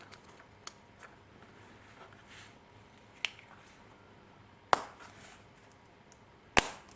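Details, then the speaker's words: 2003 Hyundai Elantra remote key fob after CR2032 battery replacement and button repair: crisp, uneven clicks of buttons pressing properly, fob transmitting again. "and it feels really good you can hear the the buttons clicking again and you can see it's uh transmitting so that's it"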